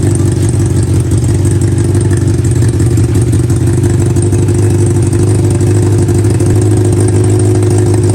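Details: Honda CB400 four-cylinder with four carburetors in an off-road golf cart, throttle linkage not yet finished, idle being balanced: fast even purr, no misses or hunting, all cylinders smooth; normal idle.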